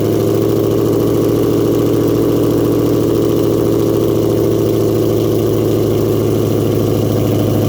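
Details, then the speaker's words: Ford 4.6L V8 Mustang after belt tensioner and idler pulley replacement: smooth, even idle with a steady low hum and no squeal, chirp or rattle from belt or pulleys; accessory drive healthy. "all right come back one more time take a look make sure everything's spinning the way it should be nice and [Music] smooth"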